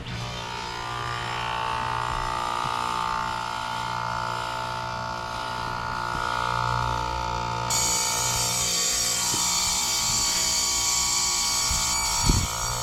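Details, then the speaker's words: Lennox heat pump outdoor unit, running in cooling and then heat mode with the top off, pressures 133 and 264. Steady droning hum with a harsh metallic whine under the fan rush, loudest near the reversing valve; the reversing valve was first suspected, but the compressor is failing internally. "Yeah, it's that compressor. Got a problem with the compressor in this thing."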